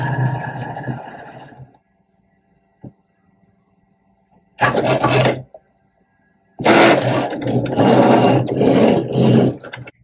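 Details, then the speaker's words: Cricut Maker 3 cutting appliqué fabric: loud raspy cutting bursts separated by quiet pauses as the carriage moves, the normal blade-slicing noise; the design cut in about 30 seconds. "cutting fabric is pretty noisy so don't be alarmed if you hear that blade just slicing your fabric"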